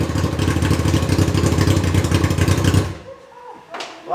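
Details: Reliant with a swapped Kawasaki motorbike engine, fuel gravity-fed to the pump from a temporary tank: fast, even beat holding steady for nearly three seconds before shutting off cleanly; running fine, proper fuel tank still needed.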